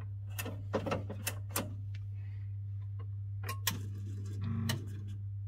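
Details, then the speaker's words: Chaffoteaux & Maury Nexia boiler showing unknown fault codes after board repair from blown fuse: steady low hum with sharp irregular relay clicks when board is flexed; suspected intermittent contact or tired relay return spring. "En fait, vous l'entendez peut-être pas, mais des fois, j'entends un relais qui clique quand je tords la platine là. Clairement, il y a du faux contact là-dedans. Alors c'est peut-être juste un relais qui est fatigué et le ressort de rappel n'est plus assez costaud."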